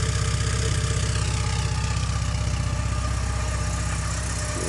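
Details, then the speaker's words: 1985.5 Porsche 944 four-cylinder idling cold on a chilly day, warming up, vapour not smoke; steady even idle with smooth low pulse about four beats a second; healthy. "it's a little cold out here today so that's not smoke that's like I said the car just warming up they run a little"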